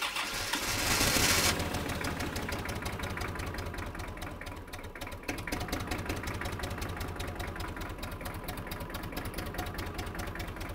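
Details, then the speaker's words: Kubota M5700 tractor, 5-cylinder diesel of almost 60 hp, retested after a stalling fix: fuel lift pump and filter replaced, tank obstruction removed, lines blown out. It settles into a steady, even clatter at a brisk idle with no stumbling. Runs normally. "all right we made it all the way down and up that steep driveway I think I can call this one a success"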